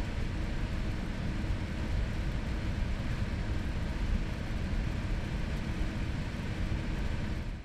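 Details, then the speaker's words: Zotac GTX 980 Ti AMP! Extreme graphics card at idle, fans stepped up in 25% increments, other PC components audible: even, steady airy whoosh, no high-pitched electrical whine; no coil whine. "I have recorded the audio of the card without the fan spinning then increase them by 25% until at full RPM"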